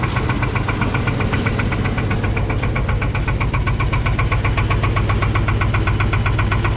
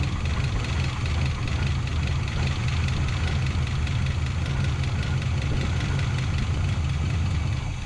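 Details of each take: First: 1984 Chevrolet K30 1-ton 454 big block V8 revived after sitting years, at idle with about 7.5 psi oil pressure: sharp steady knock about four a second, rod knock; engine judged cooked. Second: 1984 Chevrolet K30 one-ton 454 big block pickup, first start after sitting a couple of years: fires and settles into a steady, even low rumble without a hiccup; normal idle.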